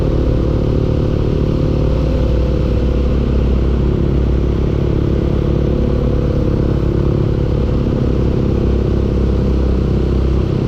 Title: engine knocking